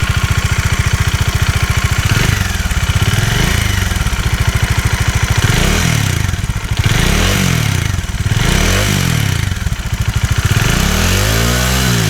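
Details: Bajaj Dominar 400 at 16,000 km with an engine noise complaint. Steady single-cylinder idle with a light, even ticking on each firing beat: tappet or valve shim noise.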